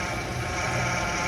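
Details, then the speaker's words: Gazelle van with new power steering pump: thin steady high whine over idle; pump whines under load, silent with wheels lifted; cause still being investigated. "под нагрузкой гудит когда вывешивается звуков нету то есть когда Ему тяжело он гудит"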